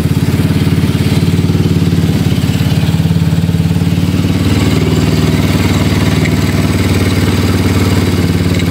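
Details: Yamaha Mio Soulty scooter with a 59mm block, which had been hard to start and whose carburetor overflowed, now idling with a fast, steady, even putter and no misfires or rattles.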